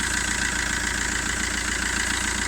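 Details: 2008 Fiat Linea at 270,000 km, after first timing chain replacement at 267,000 km along with belt kit at dealer service: smooth even idle with steady hum, quieter than before, no chain rattle or ticking.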